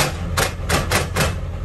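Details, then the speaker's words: 28-year-old OBS Ford F350 manual, engine running, clutch pedal to floor yet fifth and third won't go in: four harsh rasping grinds as gear is forced; clutch not releasing fully, owner suspects faulty slave cylinder. "so I don't think it's the clutch I actually think it's the slave cylinder"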